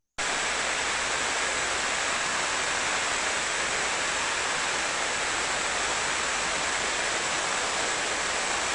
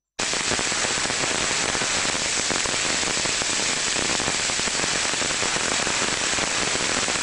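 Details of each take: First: Industrial bearing heard through an ultrasonic probe during condition monitoring, a bearing that doesn't need greasing: a steady, even hiss with no clicks or crackle. The bearing is adequately lubricated and running smoothly. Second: Ultrasonic inspection of a rotating machine bearing: steady rough crackling hiss without a smooth rush, the signature of a rolling bearing needing grease, versus a properly lubricated one.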